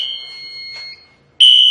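Steady piercing alarm tone, a brief drop, then a louder shrill tone returns; fire alarm in activation from a pulled station.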